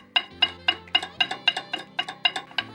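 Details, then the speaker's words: Mazda CX-5 rear right caliper, knocking after caliper repair under warranty, guides fine with no play: sharp hollow metal clacks about four a second; loose brake pad rattling in caliper body, no anti-rattle spring. "То есть гремят это колодки. Я вот снял одну колодку. Сейчас я её сейчас поставлю и покажу, как она гремит."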